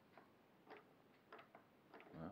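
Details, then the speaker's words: AM6 engine for a Yamaha TZR, rebuilt with new clutch springs, turned slowly by hand without oil: faint irregular light ticks are just dry gears meshing, normal, slight remaining play considered normal. "Là ce qu'on entend c'est l'engrenage, hein, parce que bon, il n'y a pas d'huile, on est d'accord."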